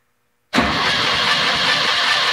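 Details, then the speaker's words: VW bus engine cranking with only three of four cylinders holding compression: steady cranking with an uneven cadence, one stroke in each cycle hurrying through, revealing the cylinder with low compression. "you can hear very clearly that one of those cylinders doesn't have compression indicate cranking cadence"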